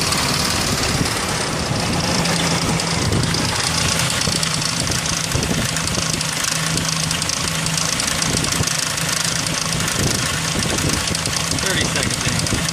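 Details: 2003 Ford Ranger 4.0 idle: steady uneven busy metallic rattle over engine, loudest up top; suspected timing chain noise, unconfirmed.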